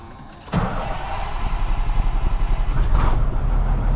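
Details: Tri-axle diesel dump truck that wouldn't start because of a dead battery, after a cheap fix: starter churns briefly, the diesel catches at once and settles to a steady, even low rumble; normal diesel start.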